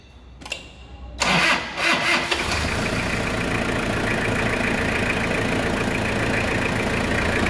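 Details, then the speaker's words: 2001 Toyota Hilux 2.8 diesel after full service with new filters and Repsol 15W40 oil: brief crank, catches within a second, settles into a steady, even idle with no knocks; healthy. "Vamos escutar essa melodia aí, moçada. É muita melodia, né?"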